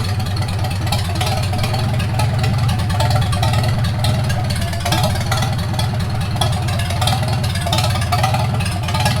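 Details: 1942 Farmall H tractor, hand-crank started after transmission teardown and repair of a scraping/screeching noise and hard reverse shifting, carburetor not yet adjusted: deep, steady low-pitched chug holding an even idle, no knocks or stumbles; normal idle.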